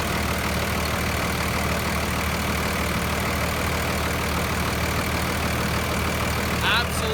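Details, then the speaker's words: 2008 Ford F350 with a Cummins swap, stock, checked for blow-by: steady diesel clatter at idle, even rhythm, no misses or huffing; no blow-by felt (only radiator fan air), no smoke, normal idle. "The only air I feel is from the rad fan. No smoke, it's totally stock. That still sounds good."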